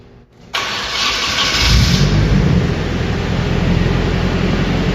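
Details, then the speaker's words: Nissan 240SX with a KA24DET on its first start after distributor timing adjustment: brief crank, clean catch, and a steady, even idle with a smooth low rumble, no knocks, not very loud. "Wow. And it's not even that loud. Alright, so I said that by the end of this video the car would run, and now the car's running, it's idling."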